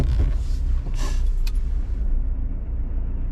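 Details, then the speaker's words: Hyundai i10 on the road after replacing front discs and pads, previously squealing when slowing because wear indicators caught the disc: only a smooth low road rumble, no squeal or grinding; brakes quiet, still need bedding in. "And yeah, it's fine now, no problems at all. Obviously the brakes will need bedding in slightly, but there's no noise."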